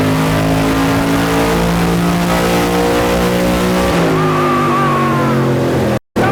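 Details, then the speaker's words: Aluminum-block 5.3 LS Chevrolet V8 for a 1999 Porsche 911 swap, full-throttle dyno pull made about 292 on last shot: deep, even roar held at high revs, no misses or stumbles; healthy. "292 or [Music] something I think it did 292 292 it sounded good"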